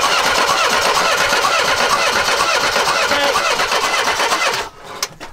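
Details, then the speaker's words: Mercedes W123 after fuel line replacement, good spark confirmed at the right time: starter spins engine at an even steady crank for several seconds but it never fires or catches; crank no start, cause unknown. "so there's no reason that shouldn't be running because those ignition modules what I was worried about if it's getting a spark they're working so why won't it start"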